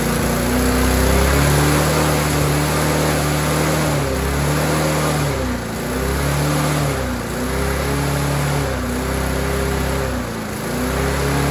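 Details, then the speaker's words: Rover 4-stroke walk-behind mower after tightening governor spring: surging better at idle but speed still hunts, rising and sagging every couple of seconds at operating RPM. "so clearly that surging then was better at idle however as you saw when I increase the RPM up to the operating RPM it was surging all over the place again"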